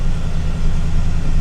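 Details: RAM 1500 pickup V8 with 57,000 miles, first start after purchase, suspected flood damage: deep, steady burble at idle with even pulse, no ticks or misses; exhaust sounds good. Normal idle.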